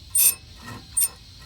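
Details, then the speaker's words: Rear brake caliper on a 2006 Audi A4, taken apart: short, high-pitched metallic scrapes about every 0.8 s as the rotor turns slowly. The brake pad slid the whole pad guide over so it contacts the disc, possibly rushed install or a bent corner. "that's the noise it's making and what it is what happened the brake pad slid this whole guide over and the guide is meeting right here on the disc"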